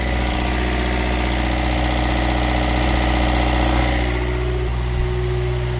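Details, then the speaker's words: Westerbeke diesel generator on a boat, previously only clicking without cranking, now a steady, even drone with smooth low rumble, no knocks or misses, after cleaning ground terminals and battery cables; running normally. "it's starting to kick over pretty well. So, it is running"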